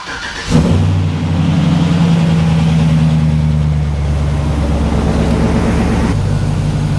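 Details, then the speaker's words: 2005 Chevrolet Silverado 1500HD, started to warm up for fluid check and oil change: cranks, catches fast, settles into an even deep rumble at idle, no knocks or misses; healthy normal start. "He sounds good. It's got an aftermarket exhaust sound apparently, and it's got a good rumble to it."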